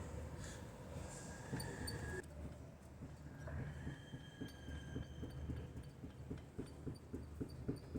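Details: Front wheel rocked by hand giving quick, uneven dull knocks from ball joint play, complaint being noise over bumps and speed bumps; ball joint dust boot also needs replacing.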